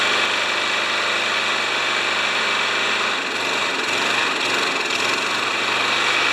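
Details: Craftsman mower engine run on the bench after an oil change, pre-filter shot: rough, buzzy run at steady speed with a faint light knock; worn engine knock.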